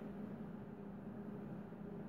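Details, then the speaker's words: Sapphire Nitro R7 360 GPU cooler fan at about 60% speed during a benchmark at 98% load and 138°F; quiet steady whir with faint even hum, audible but not loud, no rattle or grinding, normal. "I don't know if the microphone is picking that up, but you can definitely hear it. It's not loud, it's not ridiculously loud, it's not something that it'll annoy you, especially if it's inside of a case, but it's audible enough that you can definitely hear that it's moving."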